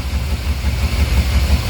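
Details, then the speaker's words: Dodge truck with rough, choppy idle, heard especially at the tailpipe: low uneven thumping with no steady rhythm; owner suspected a dirty air filter starving it of air, but removing the filter did not help. "It's very possible that it's starving for air, because look how nasty this thing is."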